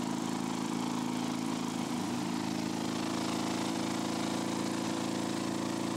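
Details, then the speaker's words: Lawn-Boy two-stroke mower after patching a crankcase hole and repairing the exhaust muffler: loud, buzzy, uneven running with stumbles, not running well; cause unconfirmed, mixture still to be adjusted. "ça fait du bruit quand même après tourne pas très très bien"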